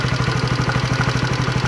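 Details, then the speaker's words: 2016 Honda CB150R single-cylinder after valve shim work, idling: quick even ticking from a loose, badly worn camshaft bearing on one side, ticking as the cam pushes. "Ini karena laharnya rusak, jadinya suaranya seperti ini."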